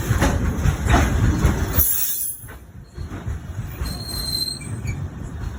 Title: Train wheel making noise